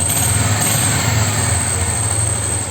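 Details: Yamaha Special 250 classic carbureted motorcycle, after repairing its hard cold starting: cold start on choke gives a steady, even low putter with no misses, knocks or stumbles, a healthy normal cold idle.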